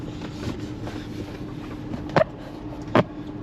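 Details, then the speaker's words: 2015 Ford F350 6.7L Power Stroke after 6–8 gallons of gas went into diesel, on road test: steady, even diesel drone with good power; slight pre-ignition knock suspected from residual gas, fuel pressure normal. "Truck sounds good. Has good power."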